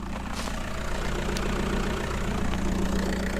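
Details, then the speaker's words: Audi on a test drive after a new flywheel, clutch kit and main seal: a deep, uneven low rumble at idle with a loose, chuffing undertone. The owner first suspected a detached intake pipe; possibly exhaust escaping at a detached clamp. "I thought it was the I thought it was going to be one of the intake pipes had come off or something like that, because it just started making a really deep sound."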